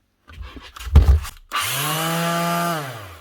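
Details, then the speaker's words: DS 320 Plus FF half-sheet grip sander after repair of a loose switch wire: the motor spins up to a clean, steady hum, holds a second and winds down, running normally. "Up and running again. Simple as that. Just one little loose wire, not even broken, on the switch."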